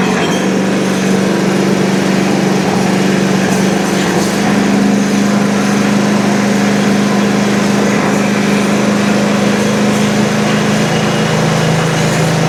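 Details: Country Clipper Challenger 52-inch zero-turn mower that came in locked up and not turning over, low on oil, battery boosted, carb/choke cleaner used; it holds a steady, even hum with no misses, knocks or surging, surprisingly sounding fine.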